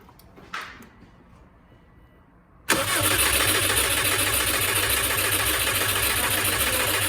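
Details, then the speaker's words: Subaru WRX with swapped-in JDM long block, running E85, first crank after fitting oil and coolant: after a quiet pause, a steady whirring cranking drone that never catches or revs; cranks but won't fire. "so it's not starting here what what's going on there"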